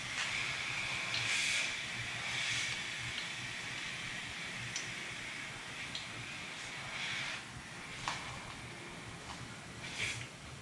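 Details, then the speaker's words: Nissan 300ZX twin turbo with turbo lag during a boost leak test, intake pressurised: steady high hiss broken by soapy-water spray bursts, leak heard at back of intake near the idle air control valve; exact source not confirmed. "and immediately you can hear a leak towards the back of the intake around the area where the idle air control valve's at."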